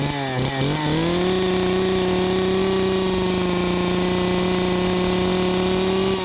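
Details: Stihl 028 AV chainsaw, choked and started after sitting an unknown number of years: it catches, climbs quickly, then holds a steady high buzzing pitch for several seconds before easing off; it starts and runs.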